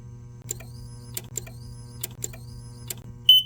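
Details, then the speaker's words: 24V DC control circuit shorted when the DC COM wire plug is connected: crackling snaps, then a steady high beep as the controller reboots and the power supply cuts out. The short is being traced by removing wires one at a time. "막 이거 지금 껐다 켜져서 소리가 나는 거고 찌지거리면서 파워 서플라이도 꺼지고 아무튼 그렇게 되기 때문에 이게 지금 어떻게 되는지를 봐야 돼요."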